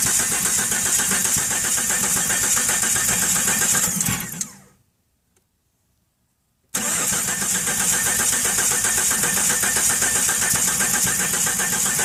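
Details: 1997 Jeep XJ Cherokee 4.0L I-6 with new ignition parts, CPS and battery, spark and fuel pressure normal: rhythmic cranking chug about two and a half beats a second, pauses, cranks again without catching; cylinder 3 low compression at 90 psi versus 150.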